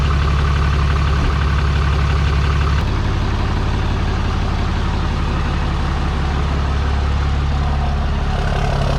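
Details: 6.7 Cummins diesel truck after a failed VGT actuator turbo was replaced with a non-VGT turbo and manifold: steady, even diesel clatter at idle with a deep low drone and no knocks or misses; running smoothly.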